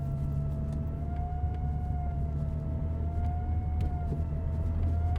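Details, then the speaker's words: GT4 recently restored, on the accelerator: steady high-pitched whine wavering in pitch over low engine rumble, the fuel pump working harder; owner reports hesitation and bogging under load, cause not confirmed. "So when you put your foot on the accelerator, you can hear the fuel pump working harder. It's like woo, woo."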